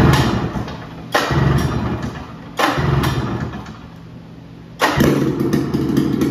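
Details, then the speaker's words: 1978 Polaris Cobra 440 two-stroke snowmobile engine, first start after fresh gas and priming: barks to life in bursts, revs flaring and sagging, ragged and hunting; owner says it's running lean, not confirmed; rough running. "oh man that stinks she lives she's running mean lean and uh she sounds like a fighting a Sheen here"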